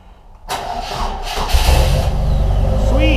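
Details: Engine with two spark plugs, started on a battery showing low at 10.7 V after cables were hooked up: quiet, then a brief crank that catches quickly and settles into a steady low idle; starts without trouble.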